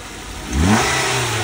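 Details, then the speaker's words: Ford Focus at auction, started with a jump: the engine catches, revs up cleanly and settles to a steady idle with no knocks or rattles. It sounds healthy. "engine sounds good on it"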